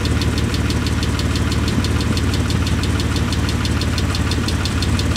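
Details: 1998 Mitsubishi 3000GT SL: quick, even ticking about three a second over a loud, raspy idle; lifter tick, with loudness from a tiny hole in the upper exhaust.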